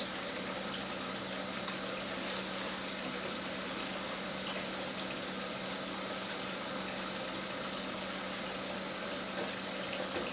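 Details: GE Profile home dishwasher during a timed fill: a constant, soft rush of incoming water with no surges or valve chatter. The float only begins rising around 2:43, and at 3 minutes the water sits just at the bottom of the heating element, so the level is low.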